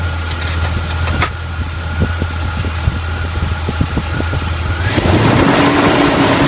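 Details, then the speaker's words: 1981 Chevy K10 rebuilt carbureted V8, about 5,000 miles since the rebuild, after the leaking fuel pump was replaced: steady even idle beat, then a clean rise in revs. The engine runs smoothly and the fuel pump works without leaking. "Fuel pump seems to be working. Fuel pump's not leaking."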